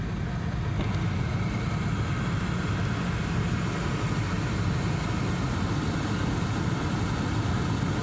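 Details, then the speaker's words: 2002 Suburban at idle with AC on, after recirculation door actuator repair: steady low air rush, a touch fuller in recirculate position, noticed since the car was new; normal recirculation air noise. "and when it's in recirculate position you always hear a little more noise I've noticed that since the car was brand"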